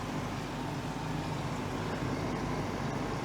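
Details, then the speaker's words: Portable AC exhaust (evaporator) fan motor after repair; it used to overheat and quit after about 5 minutes. Now a smooth, constant low whir with no rattles, scraping or speed wander: normal fan running. "smokes it is working now couldn't kill itself it's working okay another project completed"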